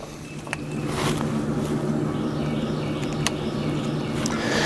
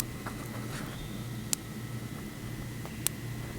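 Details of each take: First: Electric fence charger unplugged from fence, hot and ground leads disconnected, plugged back in for testing: sharp, dry clicks at a steady pulse over faint hum; charger pulsing normally. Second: Electric fence pulse grounding out through grass touching the hot wire, mic held down at the spot: sharp ticks about every 1.5 seconds as the fence arcs into and burns the grass.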